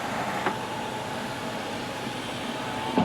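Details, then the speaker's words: 2004 Mercury Mountaineer, 4.0 V6 AWD, 217,765 miles, engine running: power sunroof motor gives an even whir with faint whine and a click at start and stop, running smooth; sunroof works normally. "Alright, so there's the sunroof. No problems there."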